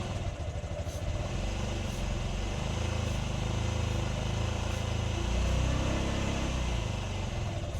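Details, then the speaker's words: 2008 Honda Ruckus after sitting untouched over five years, with fresh gas, spark confirmed and fuel pump running: it putters unevenly at a low, wavering idle. It only runs on starting fluid. "so we got her to run only using starting fluid"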